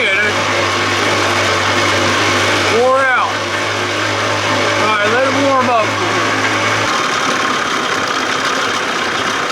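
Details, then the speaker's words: 1979 Evinrude 55 hp outboard, not warmed up, with hesitation and hard starting: uneven, shaky two-stroke idle that wavers and dies; primer bulb keeps emptying, cause suspected, not confirmed. "idling this is not warmed up sounds like it's gonna die there it goes and that's what was happening"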